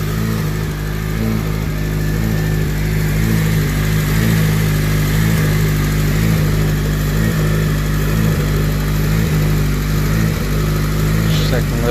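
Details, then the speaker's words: Freshly prepared K20 engine at its first start before install, on a low battery, idling erratically with a low drone and an uneven pulse about once a second; cooling/AC fans kick on unexpectedly. Owner suspects an ECU reflash is needed. "a little crazy though. I don't know, I'll probably have to reflash the ECU."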